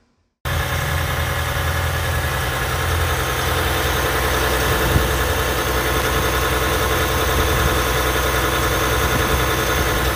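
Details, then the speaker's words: 2020 Ram 1500 EcoDiesel (Gen 3), cold start at 32 degrees outside: engine catches and automatically goes to a steady high idle with even diesel clatter and no odd knocks. Normal cold-start high idle. "so this was a cold start you see it's 32 degrees outside so all I did it was hop in and start the truck and it automatically went to a high idle"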